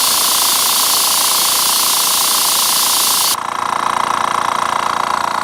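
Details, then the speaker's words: Master Airbrush TC-40T compressor, regulator at 35 psi, Paasche airbrush: loud air hiss cuts off leaving a steady motor hum with quick even pulsing as the compressor kicks back on; cycles normally and holds pressure. "There it goes. Just waiting to see when it kicks back on. But then, let's see if it can hold its pressure."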